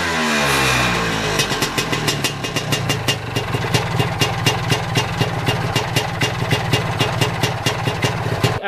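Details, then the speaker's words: Lambretta Series 2 SS225 two-stroke idling after a 60 km cold ride, compression good: a sharp metallic scrape about three times a second over the engine beat; owner suspects big end or little end; metallic scraping noise. "Is there any experts out there? My Series 2 SS225 is making a very strange scraping sound."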